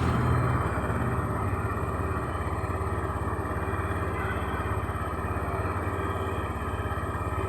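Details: Honda Beat fuel-injected scooter with a rough-starter fault and hesitation on initial throttle, started with the starter again working normally: steady, even idle beat of about three pulses a second with no misses, stumbles or hunting; normal idle.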